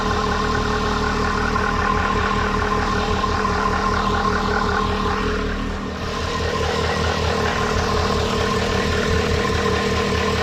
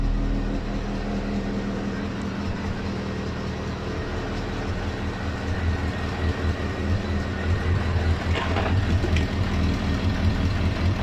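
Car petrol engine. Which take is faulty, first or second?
second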